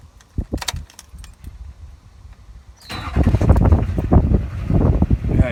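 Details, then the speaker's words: 2006 GMC Duramax LBZ diesel at idle after bad fuel. It had a heavy knock and black smoke, now settling to a steady clatter with one injector unplugged. Knock and smoke are gone, confirming a faulty injector; the cylinder is disabled as a temporary fix. "see how noisy it is the noise should go away and the black smoke will be gone I think"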